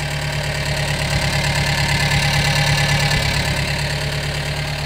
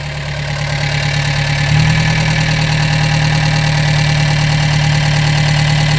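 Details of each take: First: Gehl 3510 skid steer petrol engine, warming up after new throttle cable: steady low-pitched idle with slight lope about three pulses a second; uneven idle, owner thinks carburetor may need a little adjustment. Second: Gehl 3510 skid steer small petrol engine just started after new throttle cable fitted and fuel pump primed, no choke used: steady fast idle that settles after a slight rise, even firing, no knocks or misses; normal fast idle.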